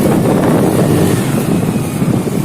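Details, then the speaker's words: Honda Activa scooter after replacing the oil seal that let engine oil onto the belt, causing noise and poor pickup: pulls at full throttle with a smooth roar, no whine or rattle from the belt drive; problem fixed. "अब एक पूरे फूल की तरह मैं तुम्हें एक race दूंगा। कोई आवाज नहीं है।"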